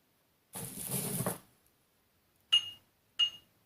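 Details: Ebay Laptronix bench grinder wheel tap test: three light taps give short high pings dying almost at once, a dull ring; wheel has gouging or porosity, judged poor quality.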